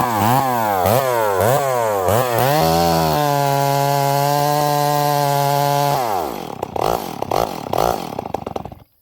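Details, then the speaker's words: Stihl 038 Magnum chainsaw with carburetor issues: revs to a high steady scream, then sags and stumbles back instead of settling to idle, with smoke. Runs rich, won't return to idle; leaning it out made it too lean. "It's revving, but listen to how it comes back down idle. It sounds really rich."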